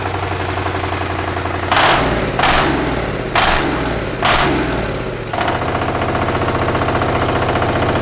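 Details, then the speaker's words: 1300cc Chinese diesel V-twin on a strapped stand, first startup: clatter settles into an even idle, four sharp throttle blips, then a steady faster run; starts and responds cleanly, surprisingly well-running engine, normal. "I truly am shocked at how well that thing was running."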